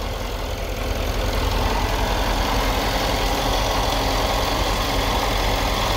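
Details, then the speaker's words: Mercedes S63 at 80,000 km, idling: faint whirring rustle about three pulses a second over the engine from one noisy accessory belt pulley; power steering pump suspected. "one pulley definitely makes sound you can hear it here"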